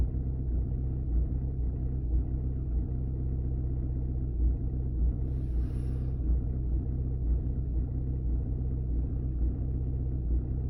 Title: Audi 2.0 tdi rough idle